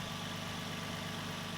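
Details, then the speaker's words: Nissan 350Z idling just after its belts were reinstalled: steady, even idle with a smooth low hum and no belt squeal or chirp; runs clean. "all right so there we are run good everything's looking mighty fine"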